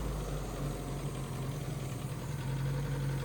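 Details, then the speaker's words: Mercury Capri Turbo RS turbo four-cylinder, first run in 23 years: smooth, even, low-pitched idle with a steady beat, no knocks or misses; vacuum leaks audible, earlier smoke cleared, motor mount failing; healthy idle. "Give her just a tiny rev. It's running great. That's impressive. You can hear the vacuum leaks, but the exhaust, it cleared up."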